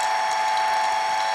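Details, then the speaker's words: Hobart A200 food mixer after repair, grease being packed into the gearbox while running. Earlier juddering, thought to be from lack of grease, is gone now it is greased; steady even whine with light gear hum, normal gearbox running. "It was juddering a little bit, and we thought it might be because it wasn't greased, and it is now, as you can see, not juddering."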